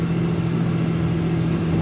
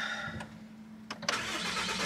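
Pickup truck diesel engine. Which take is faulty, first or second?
first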